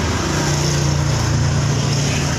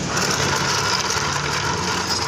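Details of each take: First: Suzuki Spin scooter CVT with an even, steady drive hum and no growl; the rough growling (ngorok) traced to a worn clutch-housing bearing, this clutch-area bearing check runs smooth. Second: Suzuki Spin scooter: rough, gritty growl over steady idle with busy hiss, smooth when the clutch bell is removed, loud once fitted; worn, wobbling bearing area of the CVT clutch. CVT clutch bearing growl.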